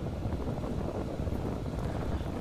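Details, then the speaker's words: Gas furnace in normal heating sequence after inducer, igniter, gas valve and burners run about 30–60 seconds: indoor blower motor comes on, steady low rush of air and burner flame, no knocks or squeals. "the blower motor comes on you're now moving heat throughout the house"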